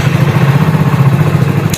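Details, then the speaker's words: BS6 fuel-injected motorcycle after injector tested with multimeter and reassembled: steady firm idle, even low thump, no skipped beats; earlier misfire gone, check light and old error remain, ECM refresh may be needed. "इसके injector को assemble करने के बाद तो गाड़ी तो start है, start पहले भी हो रही थी। मेन था मिसिंग, जो अब गाड़ी मिसिंग नहीं कर रही है।"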